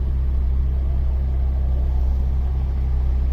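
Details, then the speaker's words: 1998 Mazda Protege 1.5L, also called a 97, with emissions monitors not setting: steady, even low rumble in gear sitting fast, around 1400–1800 rpm against a normal of about 800. High idle; MAF sensor voltage not changing. "and then if you put it in gear like right now we're at 1800 rpms the updated rate is really slow you could say 1400 have fun it's like 1400 to 1800"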